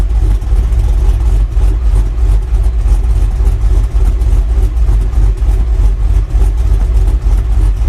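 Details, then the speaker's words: Chevy Silverado on first start after a 6.0 V8 swap, 10-minute break-in, still untuned; heard from the exhaust, a deep rumble swelling and sagging every second or so, dying unless held with light throttle, a rough surging idle. "It's gonna chop. Oh, it just died. But I've got it kind of idling with my foot, just giving it a little gas."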